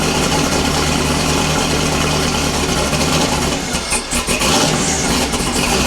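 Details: LS-swapped Fox body after fixing a stuck horn relay and a disconnected starter solenoid wire: engine catches and settles into a steady, even idle with a deep burble and no misses; normal idle.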